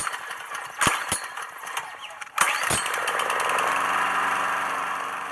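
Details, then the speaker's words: Coleman Powermate Maxa 5000 ER generator after adjusting the carburetor fuel mix screw: steady, even drone at governed 3,600 rpm with no surging; runs fine. "So by changing just the fuel mix screw, well, I was able to dial in so it got the right mixture. And now it runs totally fine."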